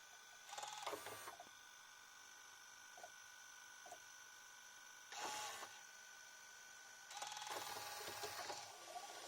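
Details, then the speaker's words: JVC HR-S9500MS VHS recorder, late-1990s top model, with the Dynamic Drum head moving: short bursts of soft whirring and light clicking over a steady high hum. The Dynamic Drum works perfectly. "En fait, le dynamic drum, il marche parfaitement. Il marche, mais genre parfaitement."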